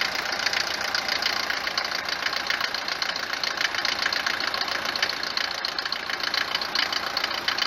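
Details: Mercedes W124 190 D four-cylinder diesel idling on a morning start: hard metallic clatter, steady at about 3.5 per second, louder than normal. Suspected causes are a worn cylinder or piston, the injectors (already replaced) or injection pump timing; unconfirmed.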